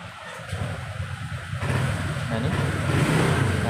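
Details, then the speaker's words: Honda Vario automatic scooter after a repair for stutter suspected to come from an exposed wire causing a short; the engine picks up cleanly through a rising rev with no stumble or delay, responding smoothly to the throttle: normal revving. "ini responsif, kan? Tidak ada penundaan."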